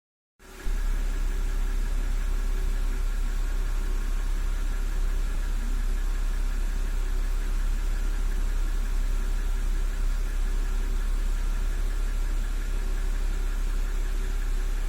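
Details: BMW N52B25 inline-six petrol, 2009, 120,000 km, at idle: faint regular knock under the engine's hum, heard best from below on a lift; owner suspects lifter, camshaft bearing bore or crank bearings, not confirmed.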